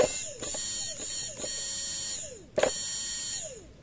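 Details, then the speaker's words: 2012 Hyundai Tucson automatic that cranks but won't start; removed fuel pump bench-powered. High whine in short bursts on each power-up, coarse and gritty instead of clean, though still strong; the part underneath is suspected (not confirmed): rough fuel pump whine. "Iba na yung tunog o. Magaralgal na. Dapat pino lang yan."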